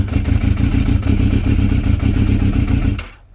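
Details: Yamaha YZF600R Thundercat (87,000, hard life, known hard starter), cold start with full choke and idle butterfly opened: lumpy, stumbling revs for about three seconds, then the engine dies to silence; won't stay running cold, cause unconfirmed.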